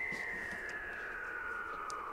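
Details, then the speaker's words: Ham radio receiver: steady whistle glides smoothly down in pitch as the power supply's noise offset control is turned; switch-mode power supply interference, which can be shifted off the operating frequency but wanders. "You can see how I'm moving the noise back and forth. So theoretically what you can do if you're operating on a frequency and you've got this interfering noise, you can adjust that noise offset to get rid of it."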